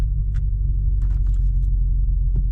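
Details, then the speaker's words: Audi RS5 V8 automatic, cold start idle: deep, even throbbing rumble with steady low beat, no ticks or knocks; a gearbox malfunction warning and gearbox jitter appear shortly after. "One thing I absolutely love about this car, so as soon as we put this in, it has got the loudest cold start I think I've heard. It sounds absolutely beautiful, doesn't"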